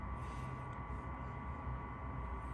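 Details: Chinese diesel-fired combination RV furnace and water heater in a cold bus with new ducting, fan on high: steady low hum with even fan whoosh, no ticking or surging; normal running.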